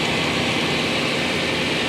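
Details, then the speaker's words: Cheap OBS truck that previously ran badly, after a plug job that found spark plugs finger-loose and leaking compression: steady, even fast idle with a smooth rushing exhaust note and no ticking or puffing; exhaust leaks cleared, engine running properly. "sounds a lot better that sounds a a lot better I think you had some compression to escape in the cylinder through the through the plugs"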